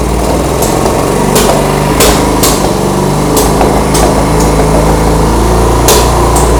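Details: 1975 Honda CB200T twin: holds a fast idle with no throttle, sharp uneven clacks on top, sounding unhappy; owner suspects the air mixture screws or the mufflers settling in, unconfirmed.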